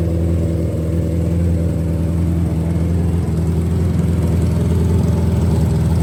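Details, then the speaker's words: Revived nitrous Hayabusa drag bike, freshly reassembled, good oil pressure, started on a starter box: fast steady hum held at raised idle that never settles; high idle, owner suspects something assembled wrong, needs computer tuning. "So, we still got a little bit of a high idle."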